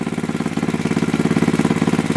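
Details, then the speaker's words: Small single-cylinder go-kart engine, warming up after carb idle adjustment: quick, even putt-putt with no misses or knocks; healthy idle like a lawn mower. "that sounds healthy sounds like a goddamn lawn mower"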